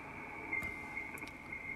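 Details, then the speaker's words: HF radio receiver: a steady, piercing high-pitched whine near two kilohertz over the receiver hiss, interference from the washing machine's motor drive. "again that high pitch that's the washing machine"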